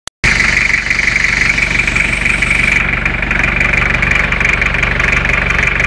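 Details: Toyota 2L-T turbo diesel idling during blow-by check: steady idle after starting, even clatter and constant hiss, nothing irregular; blow-by seems fine, engine healthy.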